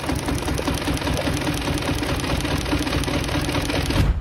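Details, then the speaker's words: Mini Cooper with Valvetronic fault, parts already replaced: uneven stumbling clatter at idle with lopsided beat; running very rough, one cylinder misfiring with wet, fuel-soaked spark plug; leak or no compression from valve suspected; single-cylinder misfire. "eck it out shall we really running rough now awful pure fuel"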